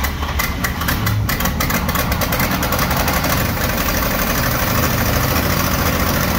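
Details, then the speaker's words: 1956 International S-160 truck, first start-up attempt after revival: engine chugs with lumpy, irregular firing, smoothing only a little as it keeps running; owners suspect plugged carburetor jets, not confirmed. "a little bit better again it's getting a little bit better we think the jets are plugged up"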